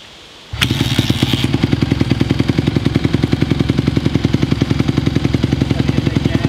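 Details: 2020 Honda CRF150R four-stroke single dirt bike, long-sitting, started from completely cold on choke after adjustments: even single-cylinder thumps at fast idle, about three or four a second, after a clean start; still cold but healthy, throttle response better with choke off.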